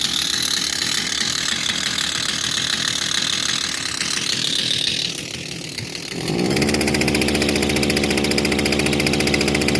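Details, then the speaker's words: Kawasaki TJ35 brush cutter that starts but lacks power: rough, uneven two-stroke buzz surging and sagging with heavy vibration; choked by a carboned-up exhaust port from unburnt oil. "But it struggles. A lot of vibration."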